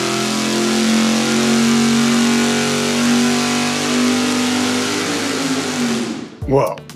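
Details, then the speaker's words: V8 on engine dyno with budget mechanical fuel pump, full-power pull: strong, even roar held under load, winding down cleanly; no lean miss, fuel pressure about 6.7–6.8, dipping to 6.2, ending 6.4. "that's pretty good yeah basically started at uh 67 spiked up to 68 and worst case scenario was 6'2 and finished at 6'4"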